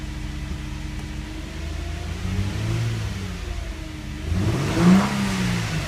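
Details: Infiniti G35/Nissan 350Z after fuel pump replacement, fuse reinstalled; quiet smooth idle then brief rev rise that climbs and settles without stumbling; normal start and idle.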